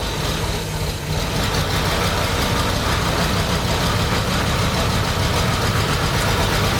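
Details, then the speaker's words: 1987 Audi 5000CS turbo that sat 20 years in a field, first run: uneven, lumpy idle with irregular low thumps and a stumbling beat, not firing on all cylinders, with smoke; cause not identified. "It's still the engine's still moving. I mean, not on all cylinders, but it's running not well when it's on."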